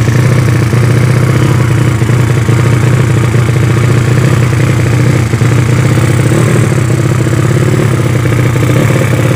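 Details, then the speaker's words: Yamaha Vega ZR with a 200cc Mio cylinder swap and Shogun total-loss ignition, started after long storage with the carb not yet tuned: loud, harsh, rapid-firing single with raw crackling bark. The open exhaust header is too small for the engine. "Oke seanu dah hidup olinya udah naik tapi ini knalpot nya kekecilan ya"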